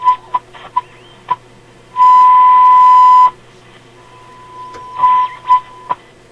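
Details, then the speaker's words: Sparton Model 67 vacuum tube radio after repair of a broken wire connection, on the high shortwave band: a clean whistle-like signal generator tone keys on and off over faint hiss near 10.7 on the dial; reception works. "this is the high shortwave band well it's picking up lots of stuff I think it's all just noise"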